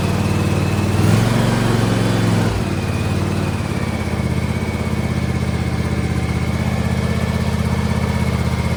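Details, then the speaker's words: John Deere X590 lawn tractor after engine-to-transmission drive belt replacement: steady, even single-cylinder thrum with smooth exhaust note, earlier ticking gone; normal running after repair. "You should be able to compare the before and after sound there, and the ticking is gone. So you just hear the normal engine sound and the sound of the exhaust."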